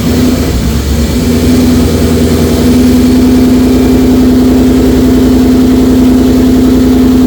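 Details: 2004 Mercury Marauder, low mileage, at first run with a new forged supercharged 03-04 SVT Cobra engine swap: fast start settling into a strong, even lumpy idle with steady supercharger whine; runs healthy.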